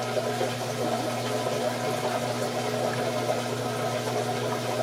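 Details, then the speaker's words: Sump pit watched by an ESP32 with a JSN-SR04T ultrasonic level sensor while the washing machine drains into it: steady rushing, gurgling water over a low, even hum. Normal inflow during the washer drain. "that noise is uh I think the washing machine running water out pushing water out"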